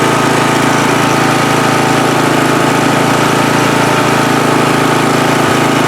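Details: Free riding mower on a first start test after its gas tank was drained and fuel was added by hand amid flooding: the small engine runs at a steady, even pace with a constant chug and no misses or surges, healthy running.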